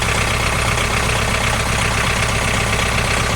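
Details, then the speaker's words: Tractor after a hydraulic repair (it hit a stump), started with the glow plug warm to check for leaks: even diesel clatter settling into a steady idle with no misses or odd knocks. Normal idle, no leaks. "So let's start it up and see if we have any leaks. The glow plug's warm."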